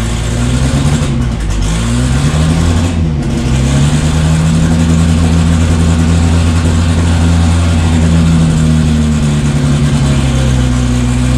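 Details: Freshly assembled 500hp 2.3 engine first start after priming fuel system, oil pressure confirmed: loud, deep, slightly lumpy idle settling into steady drone with a brief blip; normal idle.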